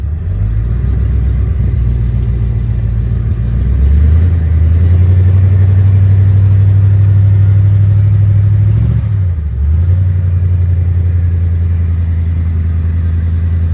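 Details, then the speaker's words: 1934 Ford roadster, original older restoration with overdrive, flathead V8 started up during pre-summer checkover: deep, smooth, even rumble swells with a brief rev, dips and settles to a steady idle; normal start and run. "So, okay, let's see if I can get in here and start it up for you so you can listen to a fantastic flathead."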